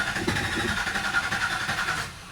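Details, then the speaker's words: 2019 Nissan Terra diesel, automatic, with fault codes stored and good relay and fuse supply: the starter spins the engine steadily for about two seconds but it never fires; crank no start, injector problem. "so yun regondo lang siya ayaw tumuloy"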